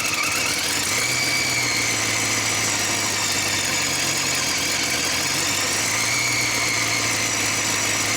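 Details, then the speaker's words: Engine after work, idling before timing set, exhaust flange at the header touching unevenly: loud raspy hiss over a steady idle, as if no exhaust fitted; exhaust leak at the header, H-pipe to be ordered. "Got an exhaust leak. He's gonna order an H pipe, but that's not the problem right now."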